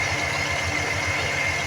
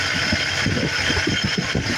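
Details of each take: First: 1988 Ford F-150 5.0 cold at idle, EGR not receiving vacuum; steady idle with a constant high whine from the air-injection air pump over an even engine hum; normal cold idle. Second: 1988 Ford F-150 5.0 V8, cold at idle, with the EGR valve manually pushed open: loping uneven idle with irregular thumps and stumbles from exhaust recirculation at idle, which may even set an engine code.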